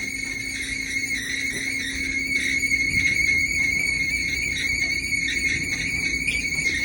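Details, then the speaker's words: Whirlpool YWED9620HCO dryer running with a continuous high, wavering squeal over the low motor hum, suspected to be the idler pulley, before fitting a belt, roller and idler repair kit. "I think it's that idler pulley."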